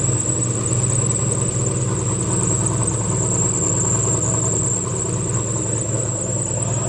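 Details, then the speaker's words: Turbo LS swapped G-body at first start on new turbo setup: loud, deep, steady idle with a thin high whistle and a squeak the owner thinks is the belt; idles fine but still needs tuning for the extra air. "it seems to be idling all right i'm gonna have to obviously pull the tune it's not usually a little bit it's not used to the extra air that's going in it but it still sounds pretty good a little bit loud"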